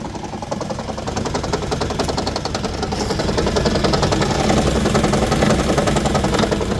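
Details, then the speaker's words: Toyota Highlander Hybrid in for inspection with check engine light on; every cylinder misfiring, engine runs rough with an uneven chugging pulse of about three to four beats a second. "We got check engine light on. Well, every cylinder is misfiring."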